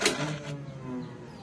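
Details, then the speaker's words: Daihatsu Gran Max with check engine light and frequent stalling: brief click at key-on, then a steady low electric hum as the fuel pump primes normally before starting. "kalau suaranya langsung dengung gitu tadi itu mudah-mudahan di start langsung nyala"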